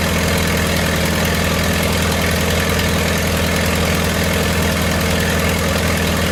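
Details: 1928 Farmall Regular after carburetor tweaks, timing advanced about halfway: steady, even low putter at about three and a half beats a second with no knocks or misses; normal idle.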